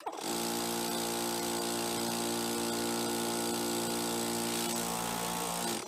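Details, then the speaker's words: Air compressor motor run after its faulty capacitor was replaced with one from an AC unit; comes straight up to speed, smooth even hum at steady pitch, winds down cleanly — fixed, normal running. "So hopefully this motor doesn't jump around when we fire it up. Pretty good."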